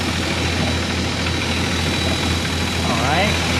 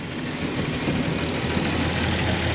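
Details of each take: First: 1999 Formula 280 Sun Sport with twin MerCruiser 4.3L Vortec engines and a newly swapped port engine, idling after the timing was set: steady, even low hum with no misses or knocks, running smooth. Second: 1999 Formula 280 Sun Sport, freshly swapped MerCruiser 4.3L Vortec V6, during tuning: idles low at about 500–550 RPM (target 650) with a lazy, slightly uneven rumble; ignition timing set slightly advanced of the 10° BTDC spec, audible in idle.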